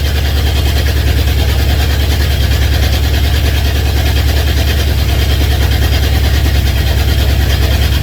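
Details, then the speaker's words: Honda CB750 K2 four-cylinder with new electronic ignition misfiring, down to about two cylinders firing: lumpy, loping beat under heavy rumble, running hot and lean before stalling; traced to carburation problem. "Some cylinders providing power, others not. The poor old crank's trying to twist itself up, snap in half."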